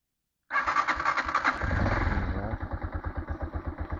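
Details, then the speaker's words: TMX single-cylinder motorcycle at 59,173 odometer, after valve clearance set to 0.06 mm both valves: starts cleanly, settles to a steady, even mid idle thump; slight tappet tick remains but far less than before. "start nakaano yung ano niya oh idle nakagitna binabaan ko lang syempre may lagipik 'yan pero hindi na siya kagaya nung dati sobrang lag"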